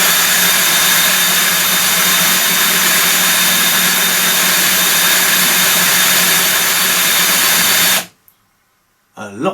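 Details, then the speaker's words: Stihl 145° 700mm pole trimmer gear head, after strip-down and rebuild (blades had been noisy), driven clockwise by a portable drill: steady high-pitched spin, even tone, no grinding or clatter, much quieter and smoother; normal gear head running. "lot quieter and a lot smoother action"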